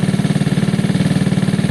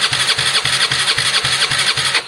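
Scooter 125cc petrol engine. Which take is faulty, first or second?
second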